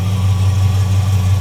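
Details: Mild street V8 on the Red Duster with a Holley-type carburetor, choke fully backed off and not working, started after a couple of pumps: steady, even low rumble with no misses, stumbles or ticks; normal idle.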